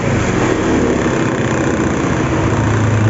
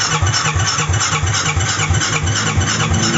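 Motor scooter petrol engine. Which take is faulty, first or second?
second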